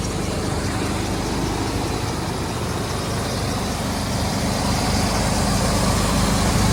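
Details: Cold-start idle of a 1992 Chevy Silverado K2500 3/4-ton 4x4 with a Chevy 350 V8, hood open, about 40,000 km in the last 8 years: a deep, steady rumble with even firing, no knocks or misfires, no smoke. Sounds healthy.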